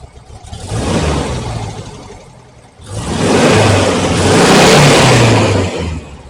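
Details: 1968 VW Type 3 with original Bosch fuel injection, after vacuum leak fixed and throttle switch (TPS) readjusted, idling 850–860 rpm, fuel holding 20 psi: two clean throttle blips rising and falling without stumbling; very slight dead spot remains.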